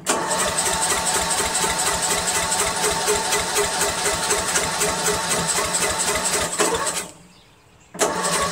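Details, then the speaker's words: Murray Select 13.5 40" lawn tractor original engine with bad exhaust valve guide, 30 psi compression, replaced carburetor and coil, starting spray used; weak quick cranking pulses, barely any fire; low compression from worn exhaust valve guide. "we know it has sparked but we have we have practically no compression but we got to help this out a little"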